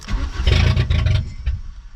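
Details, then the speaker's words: Junkyard VW Golf Mk3 being revived: about a second of starter cranking with a brief surge that dies; cranks but won't start, fuel gauge needle not moving so owner suspects it is out of gas. "nope i said there's no light here but the needle didn't even move so either my center's broken in the back or where it's out of gas i think we're out of gas actually"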